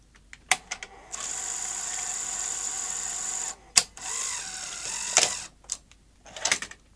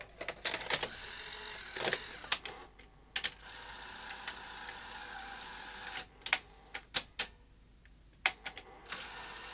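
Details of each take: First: Sony SL-HF900 SuperBeta NTSC VCR front loader after fixing the loader spring and refitting the drive belt: sharp clicks, steady motor whirr, firm clunks as the tape loads and ejects cleanly. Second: Sony SL-HF900 SuperBeta NTSC VCR (100 V) front loader: short whirs and clicks between pauses, but eject stops short, tape not fully out and door not fully open; a misplaced loader spring is the cause.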